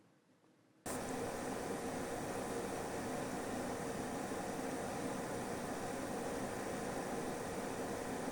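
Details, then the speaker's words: AORUS GeForce RTX 3080 Master graphics card under gaming load, fans just over 2000 rpm: steady, even airy rush of moderate loudness with no whine, rattle or buzz; coil whine not audible here; normal fan noise under load. "it's pulling about just over 2000 rpm the fans and moderate noise it's not really that loud at"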